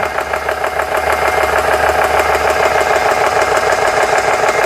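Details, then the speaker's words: GX CS3 compressor after O-ring repair (four O-rings replaced), pumping around 3,500 PSI and warming up: even rapid beat about twice a second, steady while pressure builds; running normally. "See if everything sounds okay. Sounds good so far."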